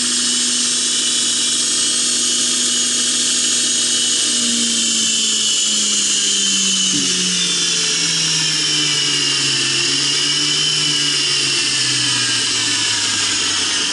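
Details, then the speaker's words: Center tracking assembly actuator driving in reverse. Motor hum sweeps down in pitch, then a high squeal as it hits the end of its travel. "Alright, I ran out of travel there and you can hear it squeal."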